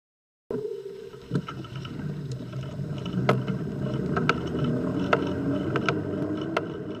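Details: Bosch crank-drive eBike motor while riding: irregular clunks and pops about three a second with each pedal stroke over road rumble, from floating bearing play in the motor unit; harmless but fixable.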